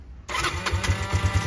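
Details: Yamaha Breeze 125 quad with fairings refitted, after replacing a frayed, broken throttle cable that had kept idle stuck high: starts promptly and settles into a quick, even single-cylinder putter with no knocks or misfires; normal start and idle.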